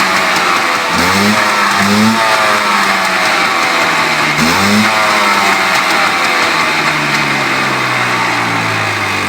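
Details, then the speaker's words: Polaris Xplorer 400 two-stroke ATV, first ride in two years, choke just shut off, possibly too much oil: engine repeatedly blipped then sagging, never settling; won't hold idle on its own. "still doesn't want to idle but whatever not too big of a deal"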